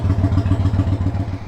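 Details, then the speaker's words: 1993 Yamaha Virago XV535 V-twin after new spark plugs, before test ride: even loping idle at roughly six pulses a second, no misses or clatter; owner feels idle already improved. "okay I'm going to go ahead and take this on a quick run and see if uh I feel like the spark plugs made any significant difference on the performance it already seems like it did with just the way it was idling"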